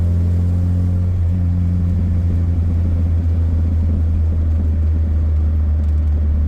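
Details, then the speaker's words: 1984 Dodge Omni GLH on a road test after fixing fuel problems causing lean knock: a strong engine drone pulls steadily up through the revs under hard acceleration. There is no pinging or rattle, so the detonation appears gone. "I actually think it's gone. I didn't hear it pinging like it normally would."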